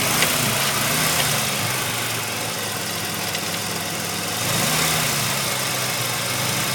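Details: 1985 Mazda RX-7 rotary at warm idle: steady knock about three per second over the engine note, only once warmed up. Owner is unsure of the cause and hopes it is a pulley; unclear whether the knock goes away when revved.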